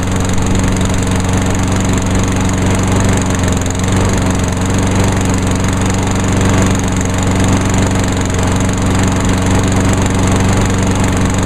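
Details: 2003 Craftsman push mower with a Honda GCV160 OHC engine, after starting on choke; steady, even putter with a constant low drone and no knocks, misses or surging. Healthy.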